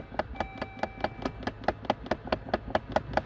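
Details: 2013 Dodge Journey with ignition on: quick evenly spaced clicks, about five a second, from the blend door actuator behind the dash near the blower motor.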